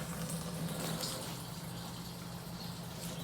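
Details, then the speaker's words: LS-swapped Scion FR-S (FRS) before first startup: switch panel wired to power and turned on; faint, steady low hum over trickling fuel as the electric fuel pump runs normally and fuel is coming out. "then I ran my switch panel to the power so now when I turn it on as you can hear the fuel pumps on"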